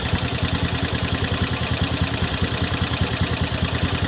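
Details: Honda Beat FI 2017 scooter at idle: a coarse, rattly drone pulsing about twice a second, a rough sound from the CVT.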